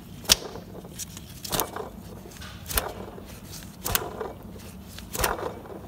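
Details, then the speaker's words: Mk3 Ford Mondeo air con compressor hand-turned with alternator belt off and system empty of gas; rough gritty rasps in bursts from the pump body, not the clutch, a worn compressor bearing; pump to be removed. "right there is our air conditioning pump now not the clutch bit on the end that doesn't matter but this here just listen to this i hope you can hear it"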